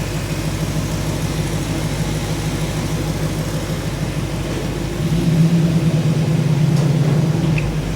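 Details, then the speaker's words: 1985 Chevy truck carbureted V8 after carburetor rebuild and stuck float fix: idle note deepens slightly dropping into reverse and drive but holds smooth without dying, unlike before; normal idle in gear. "So it's working. Heck yeah, what I see. That's what it was doing. You put it in gear and it would die every single time."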